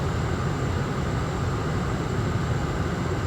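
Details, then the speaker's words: 2004 Toyota Camry after blower motor and blower resistor replacement: steady, strong, even rush of air with low fan hum, no ticking or squeal, on low to highest settings; normal blower operation. "blowing nice and strong turn it down off and we have all settings low medium"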